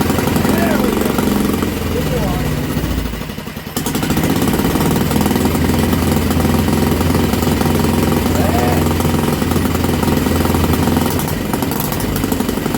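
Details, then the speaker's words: Old Villiers single-cylinder engine on a bench, on choke, drill-started: busy, steady putter at fast idle with no misses, running properly; kill switch failed as its contact was painted over. "there we go foreign that lead off because the kill switch on the back of the engine didn't turn the damn thing off and she's starting to shake everything off the bench"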